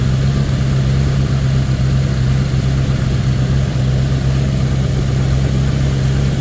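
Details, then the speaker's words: 1979 Ford Thunderbird after fuel system rebuild (new fuel pump, filter, rubber lines, sending unit), running on its own: deep, steady low drone with no misses, knocks or hunting; smooth even idle. Smoke is only spilled oil from an oil change burning off. "but she's running she's a runner lenina it's going uphill from here baby huh she smells healthy she smells healthy yeah she sounds healthy"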